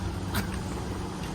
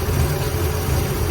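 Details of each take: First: Ford Galaxie with new battery and new starter solenoid: starter spins engine steadily about two seconds but never catches; no spark, traced to dirty points. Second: Ford Galaxie V8 running on its own fuel, about half an hour's work: deep, fairly even idle burble, slight unevenness, cuts out a few times, no misfire bursts; sounds decent.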